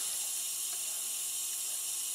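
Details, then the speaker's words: MFJ-4275MV switching power supply just after power-on gives a faint, steady high-pitched crackling hiss like frying, with no hum underneath. Bad capacitor(s) suspected, not yet confirmed. "yeah you guessed it this power slide is suffering from bad capacitors or bad capacitor so yeah let's turn it off before it explodes"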